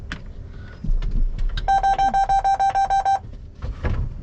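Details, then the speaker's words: John Deere W235 swather in the cab: about a dozen evenly spaced high beeps, roughly three per second; emission fault alarm, engine limited to idle-only operation within 20 minutes. "got an emissions problem engine emission fault engine limited to idle only operation within 20 minutes"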